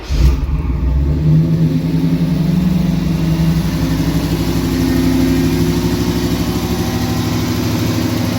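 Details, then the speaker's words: 1998 Pontiac Firebird Trans Am (KITT replica project), started after fuel pump reconnected and ignition timing adjusted at the distributor (timing had been out, causing slow fire-up); catches straight away, blips and settles to smooth even idle; normal start and revving. "You notice when it's cranking, it takes a few seconds to fire up. That's because the timing was out."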